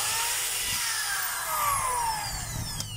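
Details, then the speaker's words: DeWalt DWD014 3/8 drill tested forward and reverse after a chuck replacement: steady motor whine sweeping in pitch as it spins up and slows, smooth with no grinding; healthy. "So okay na siya mga kabay. Ang pinalitan lang po natin ay chock."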